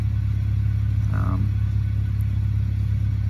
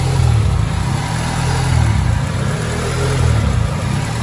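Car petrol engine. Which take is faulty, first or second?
second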